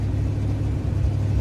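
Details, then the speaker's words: Car with a freshly cleaned and rebuilt Edelbrock AVS2 carburetor, mixture screws set 2.5 turns out, after gunking the owner presumes came from a clogged fuel filter: a deep, even rumble with no stumbling, popping or misfire. It runs normally, though it still needs adjustment. "Awesome. We're gonna have to make some adjustments, but at least we're back in a good spot."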